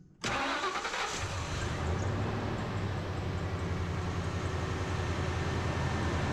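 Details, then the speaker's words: Truck engine at idle after replacing spark plugs and ignition coils: starts at once and settles into a smooth, even idle, all cylinders firing; before, two misfiring cylinders made it shake out of balance. "i mean you'd feel it shaking like i said it was out of balance because two cylinders weren't firing right um but when i crank it up just now it's smooth it's really"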